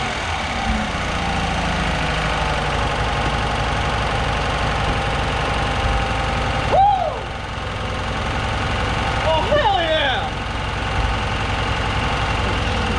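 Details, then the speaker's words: Truck engine, previously seized, running with no radiator installed yet, first start after battery charging; steady, even idle with only a light tick and no knocks, runs super clean: normal running. "hooked up to the radiator because i didn't put the radiator in yet but it runs i know somewhat what i'm doing i'm not that dumb and it actually sounded pretty good"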